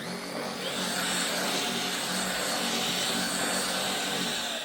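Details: LG CordZero A9 cordless vacuum after brush head disassembly to fix grinding and sputtering: steady, even high whoosh with smooth hum, no grinding or sputtering; brush head runs normally after repair.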